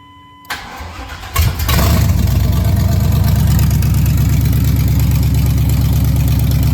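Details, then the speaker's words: 1998 GMC truck V8 first start after header install, open headers, no exhaust, header wrap new: cranks, catches in about a second, settles into loud, even, throaty idle; normal, runs clean. "Sounds like a race car. I'm going to go ahead and let this idle a little bit."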